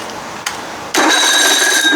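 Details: Evinrude 55 hp outboard starter motor, after spraying carb cleaner and Liquid Wrench, no fuel line connected: high electric whir that holds an even pitch; starter spins freely again after cleaning, brushes look good; normal cranking.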